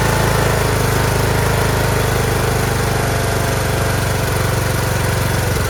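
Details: Craftsman T1600 46-inch lawn tractor, Briggs 19hp, first start after cylinder head gasket replacement; oil clean but smells slightly of gas, fuel solenoid heard working. Steady, even chug with no knocks or stumbles; runs normally.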